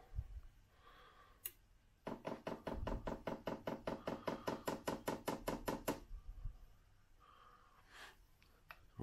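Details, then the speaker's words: Chinese diesel heater with a new low-noise fuel dosing pump, powered from a car battery, auto-prime run: crisp even ticking, a few per second for about four seconds; normal priming, seemingly slightly quieter than before. "Well, interestingly, I think the prime noise is slightly quieter than it"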